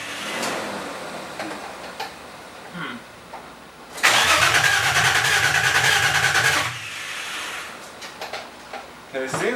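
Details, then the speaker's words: Nissan 350Z with replacement engine just installed, first start attempt: starter spins the engine at a brisk steady rhythm about two and a half seconds but it never fires; crank no start, owner suspects no fuel. "it's getting um plenty of crank yeah you're not getting fuel"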